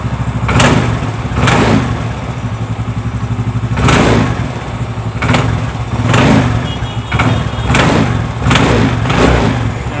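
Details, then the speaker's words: Xeon GT125 scooter idling with a clunk from the CVT box each time the throttle is blipped at take-off; before disassembly. "Nah itu bisa diperhatikan di bagian bak CVT nya bunyi jejak detik di bagian persivity gas ya"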